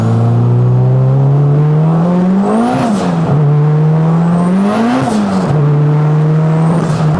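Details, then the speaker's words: 600 hp turbo Honda Civic with new intercooler piping, relocated Tial MVS blow-off valve, new radiator, downpipe and full exhaust: engine climbs smoothly under full throttle, traction-limited, sharp clean hiss at each shift. Healthy turbo pull with blow-off valve venting. "Oh yeah, she pulls. Oh my God. Traction is an issue, but man, that was awesome. The blow-off valve noise is so clean."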